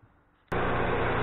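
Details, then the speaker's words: Micro Quiet 4000 watt generator after oil leak repair and valve adjustment with feeler gauge; catches abruptly and settles into even steady hum without ticking, sounds much better, left running to warm up: normal running. "it's slider sounds a lot better we're just going to let it run that way let the wolf certainly gets hot and everything"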